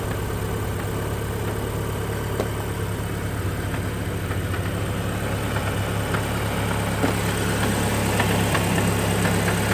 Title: Audi S3 8P1 knocking noise on cold start